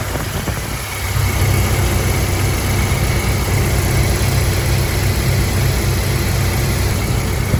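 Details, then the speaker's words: 1997 Jeep Wrangler TJ 2.5L after MAP sensor wiring repair: cranks, catches after about a second, settles into steady even low idle; runs fine, plugs still due. "okay it looks like it runs pretty good"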